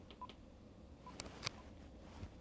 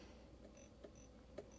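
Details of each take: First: Vero Bluetooth speaker-microphone just reconnected to a two-way radio, headset function set to PTT: a quick string of short, clean, evenly timed higher and lower beeps, normal push-to-talk tones. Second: Vero Bluetooth speaker-microphone on a two-way radio after the headset function was set back to normal: a faint hiss with intermittent thin chirps and clicks, heard as buzzing in the audio. The owner suspects it must stay in PTT mode; the cause is unconfirmed.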